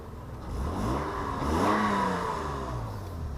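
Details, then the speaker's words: 2004 Honda Odyssey after spark plug replacement, roadside revs heard from the window: climbs cleanly through quick revs and settles smoothly. Earlier hesitation and rough running are gone; now runs smooth. "it seems pretty good now it wasn't bad before but it was getting kind of had a lot of hesitation it was running kind of rough seems pretty smooth now"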